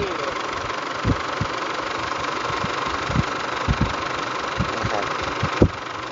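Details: Isuzu D-Max diesel, engine hot, heavy oil loss (a litre gone overnight), oil seeping over engine front and heavy smoke: clattering idle with irregular heavy thumps; rough uneven idle, injectors suspected, not confirmed.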